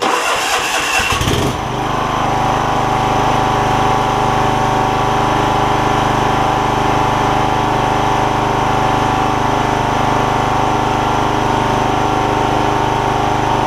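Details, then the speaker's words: John Deere LX172 Kawasaki FC420V, reassembled after ignition coil, igniter and spark plug replacement for start backfire: brief crank, catches at once, steady even idle with no pops or misses; normal start and idle. "I've put it all back together still starting and running good I suppose let me see if I can get it back going"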